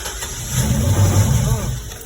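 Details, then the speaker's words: 2011 Chevrolet Express 6.0, no codes: engine catches with the gas pedal pressed, surges briefly, then dies within a couple of seconds; hard start and immediate stall, clogged catalytic converters suspected. "as soon as it starts it shuts off and uh in order to start it again I have to step on the gas"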